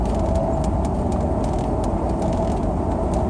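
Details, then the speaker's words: Range Rover automatic driving at speed: faint steady whine through heavy road rumble, persists when manually selecting other gears and alternates with road bumps; suspected in differential or transfer case rather than transmission, unconfirmed. "if you can hear it be here we try Mike over a little bump or something that noise sort of alternates with the bumpiness in the road"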